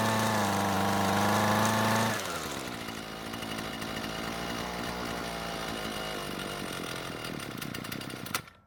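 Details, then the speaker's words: Husqvarna string trimmer, aftermarket carb after both mixture screws are turned another quarter turn counterclockwise and the loose fuel line is clamped with a wire band: screams briefly at high revs, then sags into a rough sputter and cuts out; further adjustments don't help. "so before I start to get too frustrated tuning this car but I'm gonna let you know what happened for the next 10 or 20 minutes I make more adjustments to it and things still don't get any better"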